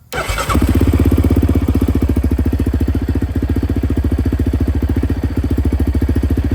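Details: Yamaha Raptor 700R after repair of a high-voltage charging spike fault: quick catch, then an even, rapid single-cylinder thump with no misses or stumbles; check engine light clears itself, starts and idles healthy.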